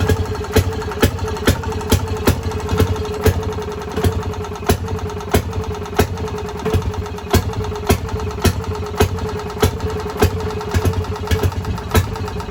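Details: Fairmont RO-C single-cylinder engine with buzz-box ignition, just started stone cold on a roughly 90-degree day with spark retarded and carburetor at 2 turns; slow, even firing around two pops a second over a steady low thump, a clean, regular idle.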